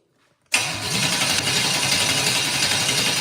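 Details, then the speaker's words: Engine with Holley Sniper 2 and break-in oil, first crank for oil pressure: cranks without firing at a steady, slightly labored four beats per second; starter drags a little and needs a shim removed; oil pressure achieved. "I need to adjust the starter just a little bit. I need to take one of them shims out. Need to take one of them shims out. You hear how it's dragging just a little bit?"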